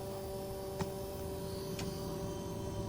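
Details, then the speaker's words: 31-year-old Mercedes W124, heater calling for heat, 18 °C outside, 26 °C inside the cabin: auxiliary water pump gives a faint, steady electric hum at constant pitch; pump running normally while poor heater performance is investigated. "so currently the system is calling for heat so the auxiliary water pump is running we can definitely hear that running"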